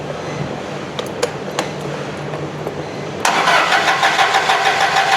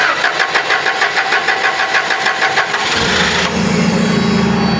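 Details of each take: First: Toyota LPG forklift: starter cranks about three turns per second for five seconds, engine never catches; gas reaches the evaporator but not past the solenoid valve, a broken wire in its harness cutting fuel. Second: Toyota LPG forklift that would not start, with the gas solenoid valve fed 12 V directly from a test tool: even cranking for about three seconds, then it catches cleanly into a steady idle; fault traced to a damaged harness wire.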